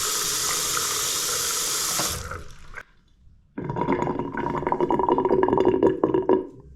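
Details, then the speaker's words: Bathroom basin draining after tap stops: rapid uneven gurgling glugs as the unvented trap siphons over a long waste pipe run down to the garage; fixed with a McAlpine anti-syphon bottle trap. "So that gurgling sound is to do with obviously the pipe being going through down the bathroom floor and down to the garage. So because it's a long run, it needs like an automatic vent fitted on the waste pipe."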